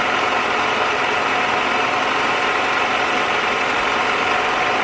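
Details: 2001 Toyota Camry after water bypass pipe leak repair and coolant refill: smooth even hum at steady idle, no misses or knocks, no leaks; normal idle.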